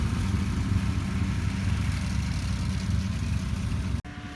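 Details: 1949 Ford 8N tractor, engine freshly rebuilt over 10 weeks, test run; steady low rumble with even beat for four seconds, then cuts off; normal running.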